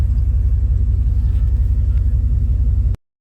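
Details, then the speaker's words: Rebuilt Chevy 350 small-block V8 in a truck after the camshaft was replaced with the stock cam: deep, steady rumble with even firing, no longer choppy, no knocks or misses; runs smoothly. "so now that the stock cam is in um doesn't sound as shoppy at all but it does run great I've been driving it for a little bit now and no issues"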